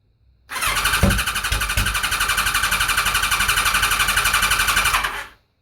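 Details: Kawasaki ZZR1100 (ZX-11) race bike with newly fitted Ignitech standalone programmable ignition; steady cranking about four pulses a second for five seconds without catching.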